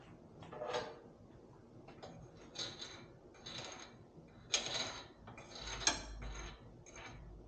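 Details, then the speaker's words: Car's 10-bolt rear axle, axle turned by hand: slow irregular scraping clunks and gritty grinding; differential cross pin broken with a hole in it. "Well, something is very not happy. Without it in the air and able to rotate it, I can't tell you what it is, but I can tell you that no good."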